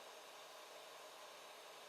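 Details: Quiet 80mm Silent 8 fan fitted to a 3D printer's 24V-to-12V buck converter in place of a noisy AMD CPU fan: faint, even airy hiss with no rattle, tick or wobble, spinning smoothly and quietly.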